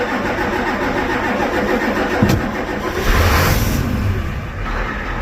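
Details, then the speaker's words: Ford 7.3 IDI diesel, warm, after installing rebuilt injectors: loud steady clatter catches and settles into an even idle with no misses; before the injector swap it would not idle like this; air suspected entering through the return. "all right turn that off it's obvious this engine is warm and uh before I took out these injectors and undid these lines it obviously wouldn't do that"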